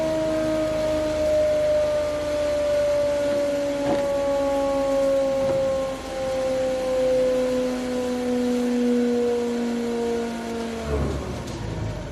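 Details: Large planer from a viewer, previously used off-grid to mill sawmill lumber, cutting dry English walnut (swapped from wet Douglas fir) after rollers set just above table flush: steady motor whine sags slightly under feed, then recovers; cutting smoothly, healthy.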